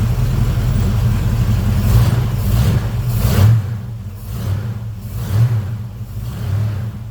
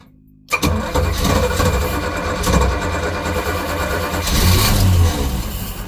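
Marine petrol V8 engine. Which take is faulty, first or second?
second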